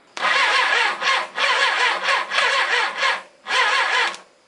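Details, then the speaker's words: Suzuki GS850 motorcycle, sat outside uncovered over 10 years, starter jumped at the solenoid: it drags the engine over in slow, uneven, labouring bursts and never catches; turning over hard, owner suspects low compression on one of 4 cylinders. "Well, the starter works. It's turning over real hard though. Got a bit of gallop in it, so it sounds like I've got low compression on one of the 4 cylinders."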